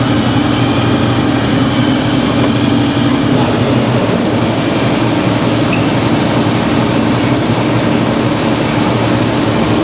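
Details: Simplicity snow blower test-run after auger and chain tensioner repair: loud, steady engine drone with a constant mechanical rush and no knocks or grinding; engine runs evenly.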